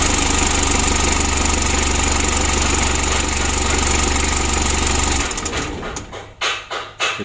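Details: 2011 Mitsubishi L300 diesel, hard starting and lacking power, original never-serviced injection pump just adjusted: clatters at an even idle about five seconds then shuts down; runs usable but not crisp, pump overhaul advised; rough-running diesel.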